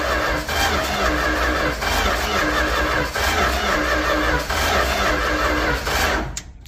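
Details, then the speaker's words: 1967-70 Dodge A108 van with 318 V8 and three-on-the-tree manual, with timing issues: the starter cranks in a steady churn for several seconds without the engine firing, then winds down. A muffler packed with debris is suspected; cranking stopped to spare the starter. "Yep, I'm calling it quits for the night. I don't want to burn up this starter, because I just don't want to put one in."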